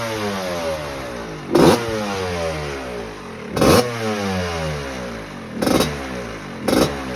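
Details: 1986 Maico GM Star 250 (M-Star) two-stroke, first warm-up after rebuild fixing a head problem: crisp ringing idle with clean, sharp throttle blips every couple of seconds; healthy, even-running engine.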